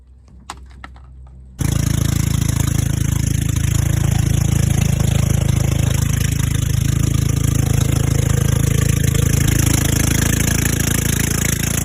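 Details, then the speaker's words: Old golf cart engine after the carburetor seemed fine and the fuel line was suspect: a few clicks, then it catches into a steady, even low drone with no misses or knocks. It runs great and the battery is the only problem; it won't restart. "so guys we just went on a Dy ride with the golf cart over there she's running great but it seems like our only problem is the battery"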